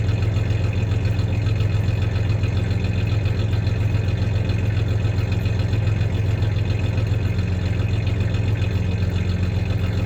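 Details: 1993 Ford Ranger 3.0 V6 idling with a little rev: deep idle with faintly uneven beat, two or three pulses a second, stumbling now and then; slight misfire; clanking is bed tie-downs, not the misfire.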